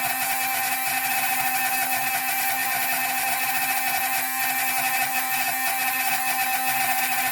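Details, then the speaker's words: Drilling a hole in sea glass for jewelry, the bit started on the bench and then continued in water: a steady high squeal with constant pitch and no chatter or bogging, meaning the bit is cutting the glass cleanly. "So here we go. You hear that squealing? That's actually cutting."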